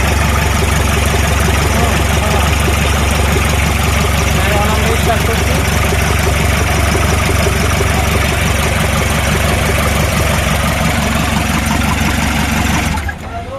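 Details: Toyota Noah 3C turbo diesel after engine repair, start: catches straight away, settles into steady, even diesel clatter at idle, no misses or knocks; normal start and idle.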